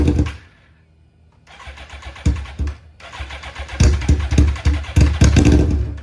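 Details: Rebuilt wrecked Suzuki GSX-R1000 after sitting: engine catches and runs in ragged, uneven bursts with surging revs, like only one or two cylinders firing; owner suspects clogged injectors again.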